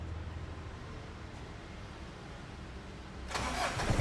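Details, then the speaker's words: Ford Ranger TDI diesel, started after glow-plug preheat via a temporary manual switch, following wiring repair: quiet crank, then catches into an even, steady idle, no knocks or misses; engine smooth and healthy; normal diesel start. "wih, suaranya sih gahar. Iya, suaranya mesinnya tuh masih Halus. halus. Oh, ini segini halus ya?"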